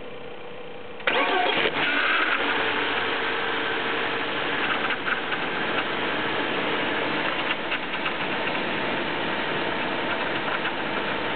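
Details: BMW E36 318is, M44B19 engine, cold start: cranks and catches, then idles with a light metallic chatter while rpm hunts between 1000 and 1500; cause unknown.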